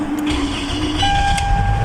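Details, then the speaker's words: 2010 Toyota Camry that cranked without starting and showed no check engine light, after restoring the 5 V reference and fixing a fuse: brief crank, then it catches straight away into a steady idle; normal start. "oh now start the car it's good now is the car the engine is running now yes the only problem here is uh the fuse"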